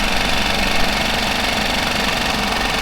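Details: Mercury 5 hp four-stroke outboard with the cover off, steady busy clatter after a fuel pump replacement meant to cure loud ticking after submersion; the decibel meter showed only a slight noise drop. Normal idle.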